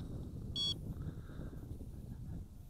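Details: Feiyu FY805 mini hexacopter's 2.4GHz transmitter being switched on before binding: one short high beep over quiet handling noise, the normal power-on chirp.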